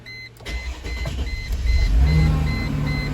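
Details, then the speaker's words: Car after starter replacement: brisk, even cranking for about a second, then the engine catches and settles to a steady run while a door chime beeps. Normal cranking and start. "and there she is oh she sounds pretty perfect"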